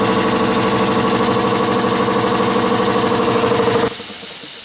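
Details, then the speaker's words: Replaced air compressor heard from behind a wall, refilling after pressure dropped to about 50 psi: steady motor hum with even pumping pulse, no shaking, knocking or rattling, then cuts off; running normally. "so that compressor is just behind this wall here it's not shaking nothing and I can just hear it there so it's not too bad"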